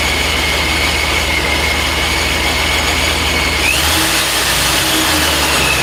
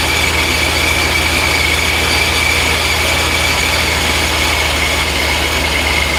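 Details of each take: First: Supercharged Second: First start of the supercharged engine after new mods: a steady deep rumble under a constant high blower whine. It fired up with some transient fueling issues noted, and the supercharger belt alignment looks true.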